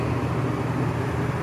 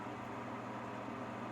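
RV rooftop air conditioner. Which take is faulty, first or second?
first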